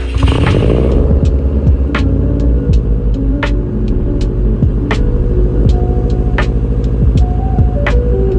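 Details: 2006 Subaru WRX (hawkeye) at first start after fixing broken PCV hoses and cleaning and re-oiling the air filter, which cured a misfire and stalling: steady deep engine drone with no stumble, smooth normal running.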